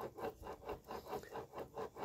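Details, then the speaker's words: Yamaha Force 1 (Fiz R) motorcycle engine, disassembled, crankshaft turned by hand: gritty grinding rasp each turn, about three and a half per second, should be light and smooth; rough, dirty, dry crankshaft bearing. "udah gitu Ini putarannya serut B Bro serut Ya seharusnya di sini muternya enteng dan lancar Kang Bro Ya tapi ini serut banget seperti laker kotor dan kering juga"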